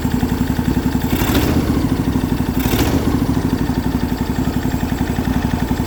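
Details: MTD Yardman riding mower twin, first start in years, valves just adjusted, new starter, after reconnecting forgotten spark plug wire: steady even firing pulse, no misses, both cylinders firing; healthy idle.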